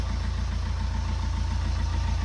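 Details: Fiat 500 Pop diesel with replacement engine, after about 50 minutes of running, little smoke left: smooth, even idle with a steady low rumble and no misses or knocks; normal idle.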